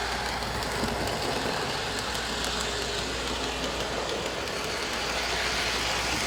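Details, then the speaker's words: Lionel LionChief starter set engine running on metal rails over hollow roadbed track, carpet under part of the layout: continuous rattling rumble, fairly even clatter, faint roadbed drumming; noise reduced but not eliminated. "So you can hear that the noise isn't completely eliminated. You still have metal wheels on metal rails, so there'll be plenty of noise as your train runs around."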